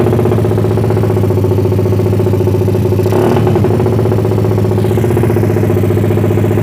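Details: Suzuki Satria FU bored to about 177cc, lowered compression, unshifted cam duration, PWK carburetor with 50 pilot and 150 main jet, silencer packed with glasswool: loud steady chopping helicopter-like buzz with brief rev swell, no misses; runs healthy.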